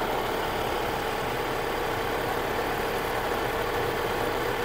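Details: Vehicle at idle, engine also leaking oil: steady loud whirring rush with a constant mid-pitched whine, no pulse; dry failing alternator bearing about to give out, could snap the belt.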